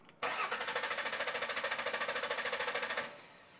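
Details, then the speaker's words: Mercury Sable cranks but won't start, has compression; starter cranks steadily about three beats a second, never fires; 12 volts present at fuel pump during cranking, so in-tank fuel pump has failed and needs replacing. "we've got 12 volts coming back here we need to replace the fuel pump"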